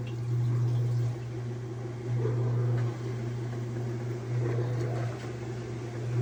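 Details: Whirlpool direct-drive washer after replacing the broken motor-to-transmission coupling that had made it rattle and stop washing or spinning: steady motor hum surging in even strokes with no rattle or knock; agitating normally.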